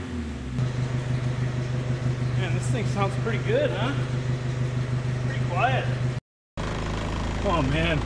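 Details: 1972 Datsun 510 with a turbo KA24DET swap, idling after its broken exhaust was repaired and rewelded, still on polyurethane mounts: a steady, even idle with a low, soft exhaust note and no rattles, blows or ticks.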